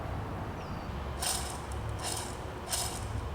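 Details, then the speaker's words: 2009-2014 Subaru Impreza 2.5i clutch release bearing, transmission removed, spun by hand: gritty scraping rasps, lots of play, red rusty metal dust from bearing failure; customer heard noise when pressing clutch pedal; replaced during Exedy Stage 1 clutch and flywheel install. "As you can hear, the bearing is very bad. There's a lot of play in the bearing, and it makes a lot of noise."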